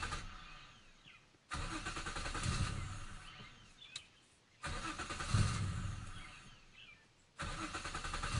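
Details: 1997 Nissan Maxima SE with a hard start: it usually needs at least 3 tries before catching, and pumping the gas helps. Repeated cranking bursts separated by pauses as the engine struggles to catch; cause unknown.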